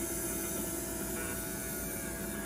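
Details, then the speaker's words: Rare 1964 Athearn F-unit model locomotive motor, first Athearn gear drive with herringbone gears, on test bench before service: hissy, uneven whir with thin whine, sounds bad; grease too thick or need for running in suspected, brushes questioned, unconfirmed. "Maybe the grease is too thick. Maybe it just wants to be road in. It's like the brushes were the ones that were That sounds bad."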